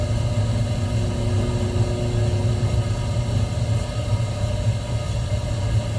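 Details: 1974 AO Smith copper natural-gas boiler, 160,000 BTU (200,000 max), first seasonal startup in cold weather, previously cleaned with new thermocouple, water inlet regulator and pressure relief valve: steady low burner rumble, constant hum, no rattles or banging; normal operation.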